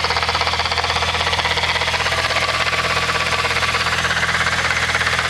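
Steady rapid rattle-whir over the idle, about three pulses a second, fairly even; sounds like a worn gearbox bearing.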